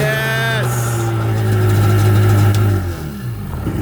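Steady buzzy two-stroke idle climbs briefly then settles, running cleanly without misfire; carb cleaned and fuel lines replaced, engine healthy.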